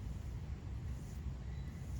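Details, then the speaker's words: New non-ABS front wheel hub for a 2001 Dodge Ram V8 4x4 spun by hand: soft, even low hum, smooth and quiet, no play. Healthy wheel hub bearing, unlike the bad hub being replaced. "nice, smooth, quiet, no play at all."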